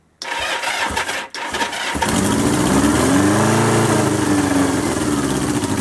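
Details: 1977 Kawasaki KZ650/Z650 B1 four-cylinder, air screws 2¼ turns out (manual says 1½), new second-hand starter motor fitted; cranks, catches, stumbles once, then runs with a lumpy, wavering beat and uneven pull; carbs still need syncing.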